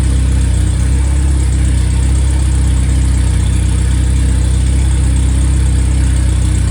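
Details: Freshly rebuilt, balanced four-cylinder 1500 engine (Triumph Spitfire/MG Midget, FP22382UE; 9.5:1, 270 cam): deep, smooth, even beat of about four pulses per second with no knocks or ticks; oil pressure 28–30 psi at hot idle; healthy.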